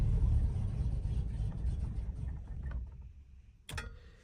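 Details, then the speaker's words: 1955 Buick, cold, needs about 15 minutes of warm-up; carburetor suspected, rebuild or replacement planned; started with gas pumped, low uneven rumble sags and fades, then a clunk and stall; won't hold idle without throttle; weak cold idle, stalling. "so I gotta keep my foot on the gas a bit just to keep their car running or else the car will just stall and you'll die"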